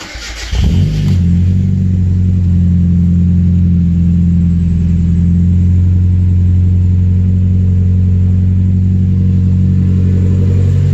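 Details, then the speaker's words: 1993 Mazda Miata 1.6L after replacing spark plugs: brief crank, then catches and settles into a steady, even low hum with no misses or knocks; sounds smooth, working properly. "Sounding real smooth. Everything seems to be working properly."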